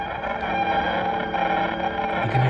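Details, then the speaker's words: Guitar through a daisy-chained pedal setup into an amp, cheap compressor pedal switched on: chopped, stuttering digital buzz over the guitar tone that stops when the compressor is off; interference, cause either daisy chain or compressor. "decided to set all these pedals up by Daisy Chain right just with my amp but for whatever reason this pedal right here this D compressor it responds very negatively to this"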